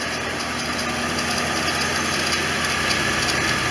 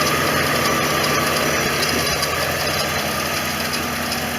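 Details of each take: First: 1989 Corvette V8 warm idle after OEM fuel injector installation, throttle body bypassed, fan on and temperature dropping; steady even idle with fine hiss, no knocks or misses; normal warm idle. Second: 1989 Corvette V8 at idle after OEM fuel injector installation with throttle body bypassed, choke slow to kick off; light fast chatter of about three to four ticks a second over idle; smog pump chatter, owner expects it to fail next.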